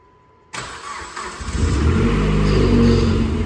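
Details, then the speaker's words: 2008 Dodge Caliber SRT4 with a built 4B12 engine (forged pistons and rods, ACL bearings) on first start-up after fuel-pump priming: it catches into a rough run with an uneven rattly clatter from the accessory side. Source unconfirmed; running out of gas suspected. "She's wanting to Golly, something over here is making ruckus."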